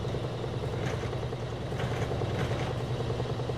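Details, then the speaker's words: Frigidaire laundry center washer (model FGX831FS5) with an intermittent no-spin complaint, lid open showing motor, belt and transmission: steady low hum and faint even rumble while spinning up to full speed, no banging or scraping. Normal spin. "we can see the belt spinning can see the transmission spinning it's going to go faster and faster get all the water out"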